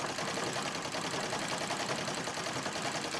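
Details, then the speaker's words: Singer 66 treadle sewing machine during free-motion quilting: fast, dry, loose rattly clatter with the stitching; owner hears rattling, plans to clean the feed dogs and bobbin area and oil it; cause not confirmed. "but I'm going to finish this first but I can hear the sort of rattling sound just about going to be"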